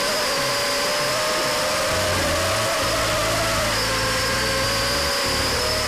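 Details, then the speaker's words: FPV multirotor during PID tuning: thin motor whine that ramps up and drops quickly on each pitch maneuver, a rapid wobble; motor oscillation from an over-tuned gain, easily mistaken for other faults. "every time I give it a pitch maneuver you can hear the oscillation in the audio listen carefully here you hear the oscillations every time I move the vehicle the motors ramp up and come back down very quickly"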